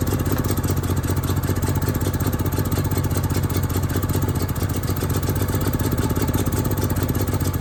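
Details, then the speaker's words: Onan RV generator, small single-cylinder engine, running after carburetor cleaning: steady but slightly lumpy, uneven thumping; the carburetor is still not acting right. "it's supposed to automatically pull off the carburetor's not acting right yet"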